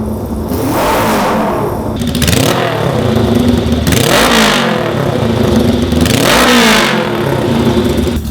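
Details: 1966 Honda CL77 305cc twin, 180-degree crank, revs to about 9–10,000, 52 years old, freshly started after sitting since 2016: three sharp clean blips rising and falling quickly, no knocks or clatter; healthy free revving.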